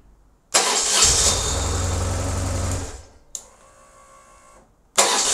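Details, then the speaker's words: BMW R1150GS after fixing a noisy starter motor that hung on after starting (starter bolts 20 Nm, lead 10 Nm, cover 7 Nm): short clean starter whir, engine catches with steady beat, no lingering starter noise. "that's much better and that literally took 10 minutes to do"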